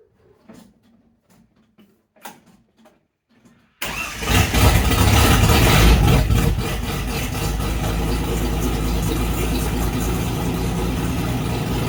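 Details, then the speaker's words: Holden 202 six-cylinder in a UC Torana, first startup after fixing oil pressure problems, fresh run-in oil, exhaust straight out the extractors: a few clicks, catches at once, revs then settles to a steady, slightly lumpy deep idle; healthy start. "so there we go guys I think we're over a few of the hurdles never know in building old cars and playing around um but she fires up quite nicely uh runs quite nicely"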